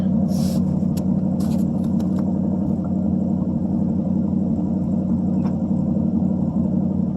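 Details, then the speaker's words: 1952 Ford Customline flathead V8 with dual glasspack exhaust, mic at the exhaust during a couple of revs; deep, even V8 burble with steady low rumble, no misses or knocks, slight smoke; had stuck valves when bought, carb cleaned; normal exhaust note. "I'll rev it up a couple times and you can hear what it sounds like."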